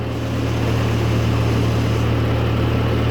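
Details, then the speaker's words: 1940s Ford tractor engine, cold, after carburetor adjustments, while trying to lower the idle: a steady, fast, even idle with a firm low drone and no misses, so idle speed is too high. It is charging, with 30 psi oil pressure cold and no smoke. "seems to be idling pretty high son of a gun the thing's actually running it's charging"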